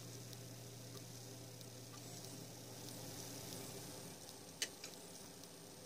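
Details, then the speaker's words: Maxtor 80GB IDE hard drive, killed by a failed power supply, powered up after a PCB swap: a faint steady low hum with one soft click. It spins up smoothly with no grinding or repeated clicking; normal spin-up. "what if that sounds good it made a knife and it didn't blow up you up"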